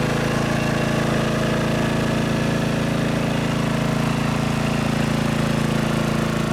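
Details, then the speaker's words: Riding mower idling after fitting homemade quiet exhaust: even, steady low thump about three pulses a second, more thump than rattle from the muffler; smooth, quiet normal idle. "But yeah, I think it's pretty quiet comparatively. Yeah, even in the back here where the muffler is actually exhausted, is pushed out. It's more of a thump than it is a rattle."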